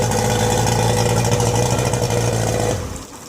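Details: Yamaha 90 hp two-stroke outboard, first run after rebuild (3 scored pistons replaced with Teflon-coated ones, rings, gaskets, rebuilt carbs, water pump), double oiling: steady, even idle with no knock or rattle, then a clean shutdown; the earlier knocking is gone.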